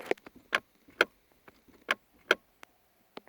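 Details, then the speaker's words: 2010 Chevrolet Equinox with a no-start, engine off: irregular sharp clicks about once a second from the dash area as the brake pedal is pressed. Later traced to a loose ground wire left untightened after an engine install. "why when I press the brake there's a noise coming from in here when I pressed the brake"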